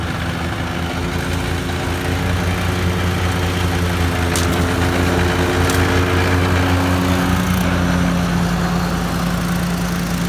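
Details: 2013 Walker T23 commercial mower with a 23 hp Kohler twin, revived after years sitting in a paddock and fitted with a new hydraulic line, cutting grass: steady, even drone with a smooth low beat, holding speed without misses; healthy.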